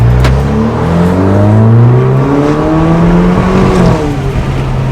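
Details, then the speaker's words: Alfa Romeo with check engine light revs up under acceleration, then runs rough and shakes as it misfires at higher rpm. Champion spark plugs are blamed. "did it again my whole car is shaking look at me i'm literally jiggling i've never jiggled like this in my life"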